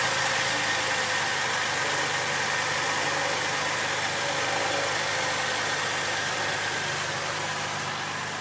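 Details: Saab 9-3 Aero at an even idle: a steady, high, thin whine holding its pitch from the engine bay. The owner wonders if it is the turbo, but the source is not confirmed.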